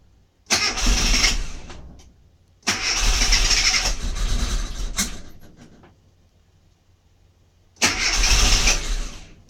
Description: Here's my mini MPI that won't fire up.